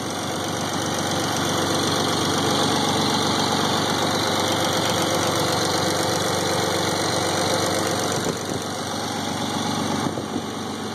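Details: 1991 Nissan 300ZX naturally aspirated V6 idles steadily with a fast, even ticking of about four ticks per second; the cause is unknown.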